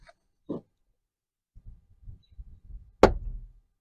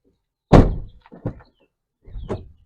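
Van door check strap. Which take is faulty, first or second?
first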